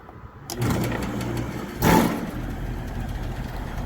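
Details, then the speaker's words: Old heat pump outdoor unit, after the bad capacitor was replaced: the compressor kicks on with a low hum, one rough surge, then runs steadily; liquid refrigerant migrating onto the compressor head is suspected, so a crankcase heater is recommended. "Sounded a little better, still a little rough, but that compressor is running now. So she needs a crankcase heater installed."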